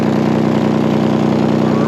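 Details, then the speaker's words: Older Toyota Highlander at idle, O2 sensor just fixed, check engine light on: sharp fast puffing rasp on the exhaust note from a screwdriver-sized hole in the exhaust right next to the O2 sensor. "well i fixed the o2 sensor but there is a leak and it's not that it's"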